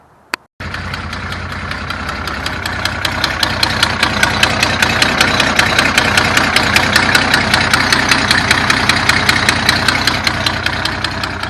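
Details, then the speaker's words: 1974 Datsun 260Z not run all winter, just fired up after an air lock was cleared at the first carb fuel line: rough running with a sharp ticking beat about 2.5 per second, attributed to sitting. "Well, he hasn't run it all winter, so it's going to be a little rough, but it had a fueling issue."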